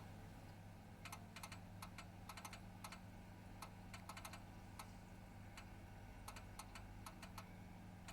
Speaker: And I thought it was just it cooling down. It's still pinging, clicking. And it will do this for ages, it will just keep doing it.